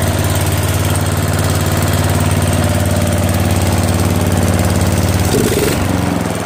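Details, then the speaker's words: Mower/tractor after swap from a 15 hp OHV to a 12.5 hp flathead single-cylinder engine, started with choke and throttle. Steady, even chug at a fast idle with a brief throttle change near the end. No misses or knocks, runs healthy. "Oh yeah, that sounded good. Getting I'm so happy right now. Good sparks. Good pressure."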